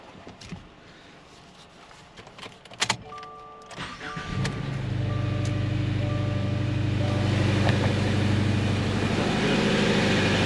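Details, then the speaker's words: 2018 Subaru Crosstrek junkyard replacement engine after reconnecting the PCV hose and knock sensor plug: some clatter, then it fires and settles into a smooth, steady idle with an even low hum; sounds much better. "sounds a lot better guys W much better"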